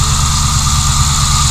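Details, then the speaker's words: Ford Crown Victoria P71, first run after sitting, warming up with owner checking for freezing, cracks or coolant leaks: steady, even low rumble at idle with no knocks, misses or ticks; healthy normal idle. "She's running. We'll definitely let it run for a while."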